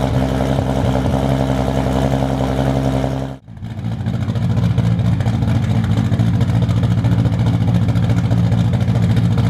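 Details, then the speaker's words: Toyota Supra with turbo, 4" stainless downpipe and exhaust, and remade 5" intercooler charge piping, running but not yet tuned: deep steady note, brief dip as it restarts, then strong even rumble with clean revving; normal start and revving. "We're gonna go ahead, give this a start since it runs now, and you guys can finally hear what it sounds like."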